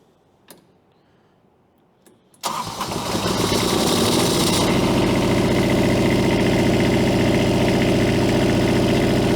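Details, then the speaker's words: Three-cylinder diesel pulled from 13° cold, checked with thermal camera on exhaust manifold: cranks and catches into a lumpy, uneven idle with cylinder number three not firing; owner suspects water frozen in fuel system. "yeah it looks like cylinder number three is not firing at all yeah she's she's not real happy we could have some water Frozen in the fuel system right now"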